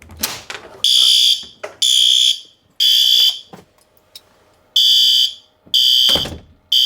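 Loud high-pitched horn blasts about a second long, repeating in a steady on-off pattern; the sounder is working properly.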